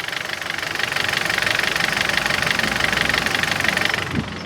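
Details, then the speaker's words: 2014 Kia Cerato petrol engine at idle, not fully warm: light steady tapping about four per second, which nearly disappears when hot; no oil or coolant loss, cause unknown. "Agora tem esse detalhe que eu não tive sorte. Infelizmente eu não tive sorte. Ele tem essa batidazinha aqui."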